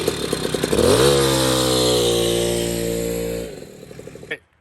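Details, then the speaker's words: Puch Maxi moped with a rebuilt 70cc kit two-stroke engine and makeshift air filter, doing 34–35 mph; revs up, holds a crisp, even high buzz and drops back smoothly. Running well. "so i got an update it's running beautifully i have it uh dialed in"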